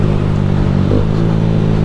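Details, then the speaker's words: Honda Fan 160 single-cylinder motorcycle at 6,000 km, after valve adjustment: light quick tick riding on the exhaust beat; a friend suspects the cam chain tensioner, unconfirmed. "do tava com um barulhinho meio chato pá aí beleza Fiz regulagem de válvula peguei a moto 6000 km e Mano mandei mensagem para um parceiro meu falei assim ô F se liga esse barulhinho falou assim mano Isso aí é tensor da corrente de comando"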